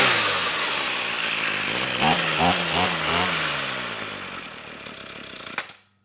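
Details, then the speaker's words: Ryobi string trimmer, two-stroke, no choke: high raspy buzz sags once the throttle is released and cuts out within seconds; stalls at idle because the carburetor's idle set screw is broken off. "nice i think the engine's running well it's still stalling when i let off the throttle so let me see if i can adjust that idle set"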